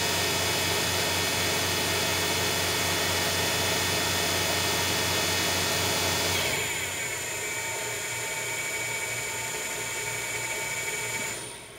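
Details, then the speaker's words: Grizzly G0704 CNC conversion spindle on a WJ200 VFD with a $13 braking resistor, run at about 5,000–5,400 rpm. A steady high whine, then a quick, clean falling pitch to a stop within seconds without tripping the drive; the spindle and braking resistor work properly. "so yeah that's the spindle the resistor the $13 breaking your sister is working like it's supposed to"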